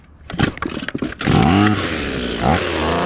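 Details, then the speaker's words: Ryobi small two-stroke with an attachment just fitted: a few raspy pulls, then it catches almost at once and settles into a steady buzzing run; starts easily, no trouble cranking. "no trouble cranking it. It's good."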